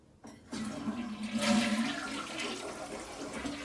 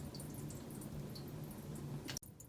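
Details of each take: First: Toilet flush after the flapper was replaced with a Korky rubber flapper and its chain shortened: a strong rush, then gurgling surges as the bowl empties and the tank refills, a normal, healthy flush. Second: Toilet tank with a two-piece flapper that has come apart, a piece fully detached, so it no longer seals; a quiet, continuous trickle of water seeping into the bowl.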